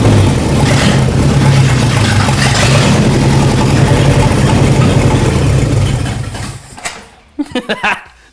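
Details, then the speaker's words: Overhauled 1968 Dodge 318 V8 from a scrapyard, seized 20 years, on open stock manifolds: a loud, deep, even roar with steady firing and throttle blips, then a clean shutdown, which is healthy. "Well, with with stock manifolds, I mean, open manifold, it won't sound near as imp probably. It sounds good in person. On camera, manifolds always sound choppy."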